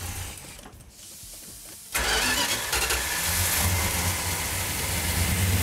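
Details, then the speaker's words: 1972 Plymouth Duster 340 V8, 4-speed, restored tribute car, start without primer fuel, choke held: quiet cranking, then catches abruptly and settles into a loud, lumpy but even idle; fires up and sounds healthy. "Sounds healthy. What? Oh, it sounds good."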